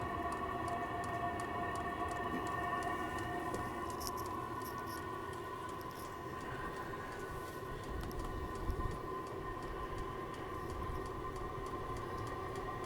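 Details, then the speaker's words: Vevor 5 kW vertical all-in-one diesel heater, first start-up on max heat setting: quiet steady burner roar with fast even ticking from the fuel pump, no sputter; normal diesel heater operation. "it's really starting to pick up now as you can hear the pump is really started to top along"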